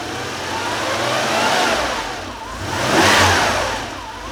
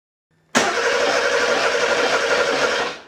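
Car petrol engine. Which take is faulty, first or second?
second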